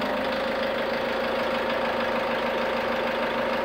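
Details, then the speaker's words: SsangYong Actyon 2.0 diesel (Mercedes engine) after new injectors were fitted, first run left at idle to warm up: even, steady hum with no misses or irregular knock; normal idle. "galera acabamos de funcionar então lembra que quando você funcionar ela primeira vez com os bico novo Tem que deixar ela esquentar funcionar na marcha lenta até a temperatura chegar a um certo altura né"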